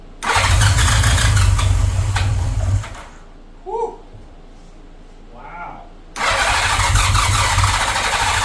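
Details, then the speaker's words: 1983 Honda GL1100 Gold Wing, barn-stored 9–10 years, started after fresh gas and refilled carb float bowls: it catches right away and runs smooth and even, drops out, then fires straight back to a steady, healthy idle. Normal start and idle. "now this just tells you Honda is where it's at I cannot believe this thing started that"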